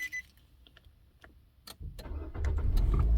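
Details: 2013 Nissan Sentra after a no-crank no-start, battery trickle-charged, key fob and security system earlier failing to detect the key: cabin clicks, then the engine catches in about two seconds and settles to a steady low idle; normal start.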